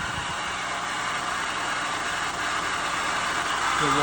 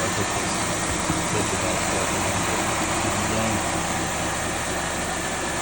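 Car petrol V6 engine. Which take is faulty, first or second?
first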